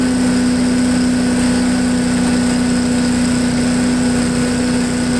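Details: MTD push blower with 5 hp Honda engine, back running after 2+ years of storage, at full throttle on the ground: steady high-pitched drone, no surging or sputtering; idles well, though owner feels it could run a bit faster.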